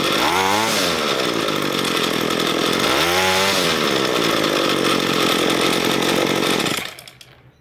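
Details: Ryobi ES30 two-stroke string trimmer after carburetor cleaning, idle screw turned in another half turn after running too rich: blips twice, then holds smooth steady high buzz without bogging before shutting off; mixture sounds right, normal running.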